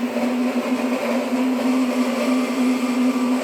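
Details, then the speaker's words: Tesla after a coolant leak, parked and stationary: constant mid-pitch whir with a slight warble that persists even after unplugging and shutting off via touchscreen; abnormal noise, source not yet found. "now today it's making this horrible sound. Sounds like it's coming from in here. And I don't know how to make it stop."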